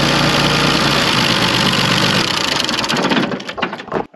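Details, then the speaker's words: 1974 John Deere 350B dozer diesel: loud uneven running that stumbles and dies; loosening the injection pump cover set screws releases pressure and it runs fine, cause still under investigation. "I'm going to fire the this thing up and I'm going to you're going to listen to this thing die and we're going to loosen those screws and see what happens"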